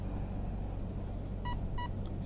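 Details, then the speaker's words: Arc 1 speed controller entering program mode (full throttle held, radio on, ESC switched on) gives two short beeps about a third of a second apart over a faint rumble, signalling the second of three programming layers. "2 beeps. Second layer, 3 beeps. Third layer."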